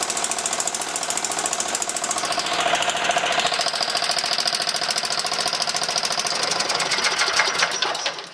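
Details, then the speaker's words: John Deere 160 lawn tractor running after wiring hookup and fresh gas, following a long stay outside: fires right up with fast, even firing, holds steady at high revs, then cuts off cleanly; no smoke beyond a small initial puff. Normal running. "fires right up revs up fine sounds perfect doesn't smoke"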